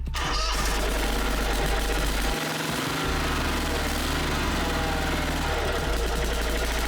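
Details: Snapper Pro SW30 52-inch with Kawasaki 651V, used and apparently never serviced, warming up before an oil change: engine catches and settles into an even, low steady idle with no misses or knocks.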